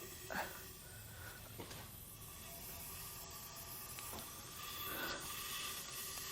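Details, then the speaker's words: Nissan VQ40DE 4.0L from 2010 Xterra, 203K miles, engine stopped on leak-down test after brake-cleaner cleaning: faint steady hiss of air leaking past intake valve, needs more cleaning. "it doesn't quite get as high and I can still hear stuff coming past the intake which tells me that I still need to do a little more cleaning"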